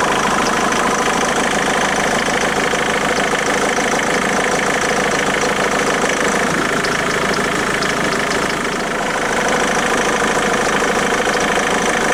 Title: Ford Mondeo MK3 2.0 TDCI strange engine noise - is it a failure?